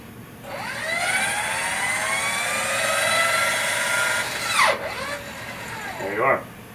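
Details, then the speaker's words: Indelac AS series spring-return electric actuator, power removed at fully open: whir falling in pitch as the spring drives it closed, ending in a soft stop; normal fail-safe return. "That's the fail for the AS series."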